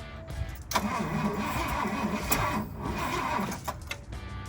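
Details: Fire truck being revived, cranked from the cab with the choke in use. The starter turns the engine steadily at about three turns a second with music underneath, but it never catches. The owner wonders if the timing is one tooth out; the cause is unconfirmed.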